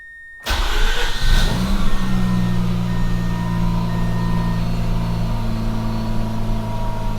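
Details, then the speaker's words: Mazda RX8 restarted after oxygen sensor replacement cleared the check engine light: quick crank, brief rev flare, then a smooth, steady low hum with no stumbling; normal start and idle. "It sounds like a jet engine shutting down. I love it."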